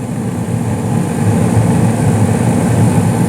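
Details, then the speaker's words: 2016 Carrier gas furnace, five years old, switch replaced around 2019 (year uncertain), panel on: quieter, steady low burner rumble with even airy roar, no knocks or surging; normal operation. "definitely a lot quieter with the panel on since you know it um it's a closed unit but you can definitely hear a rumble with the burners going which is nice"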